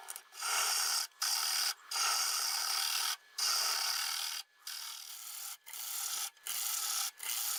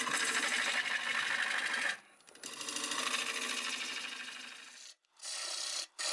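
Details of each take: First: Dry, hard Boxelder bowl blank (about 8-inch circle, 3 3/4 in thick) cut with a 1/2 inch bowl gouge on the lathe. Dry, high-pitched rasping in short passes, no knock or chatter; the earlier noise disappeared and a crack was closing up. Normal cutting. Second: Dry, hard boxelder bowl blank on a lathe at about 760 rpm, freshly sharpened gouge: harsh scraping chatter with an uneven stop-start rhythm; a sizable crack plus smaller cracks found in the spinning blank, and the turner backs off and changes angle fearing it may blow up.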